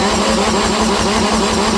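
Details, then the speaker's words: Universal M25XP marine diesel from a Catalina 36, salvaged untested from a scrapyard, first run on a stand; loud, uneven, lumpy gallop as if missing a cylinder. Frozen rings from sitting were also suspected. "Dude, that's got a weird gallop. It's like it's totally missing a cylinder."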